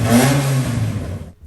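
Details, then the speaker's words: Fiat X1/9 engine after hot coils and weak spark prompted a switch back to a points distributor and fouled plugs were replaced with new ones. It revs crisply and drops back cleanly with no stumble or miss: running healthy. "so with the new plugs installed it sounds a lot better"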